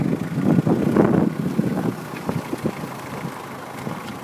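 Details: Peugeot idling, with irregular rustling and clunking noises each time the brake pedal is pressed and released.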